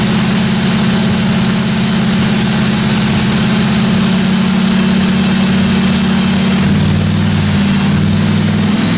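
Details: 1957 Chevy 210 project car, carbureted V8 at steady idle during roughly 20-minute cam break-in run: smooth, even deep exhaust rumble, no ticking, tapping or other weird noises from the valve train; normal running.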